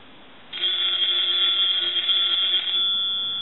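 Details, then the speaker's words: Brass elephant telephone, final check after repair: bright, rapid ringing of twin bell gongs lasting about two seconds, even and clear; bell rings properly. "Now what we want to do is our final checks. So I want to go ahead and plug the unit in, and then we want to ring the telephone. We're going to let that go a few times."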